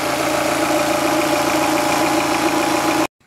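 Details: 2006 Audi A3 Sportback 140 hp diesel, warm at 90 °C after timing belt replacement, idling steadily under the loud rush of both radiator fans, a part vibrating, then abruptly shut off; normal warm idle.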